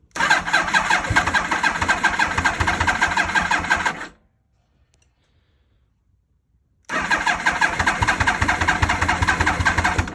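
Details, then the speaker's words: 2000 Yamaha R1 (5JJ), newly acquired, borrowed battery, choke on: two bursts of fast uneven cranking about four seconds each, never catches; owner suspects the carbs need cleaning. "Sure, these carbs need to be clean because she ain't starting."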